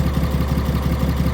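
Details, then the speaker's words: 2020 Ram 3500, 6.7 Cummins, 364k miles, with a lazy lifter, honest cold start in the high 30s: lumpy, uneven idle with some firing strokes weaker than others. Combustion is rough; no metal shavings in the oil filter. "When an engine's hurt, any cold temperature, even high 30s, kind of really messes with it. You could hear it in the combustion, the way she's firing. She's hurt."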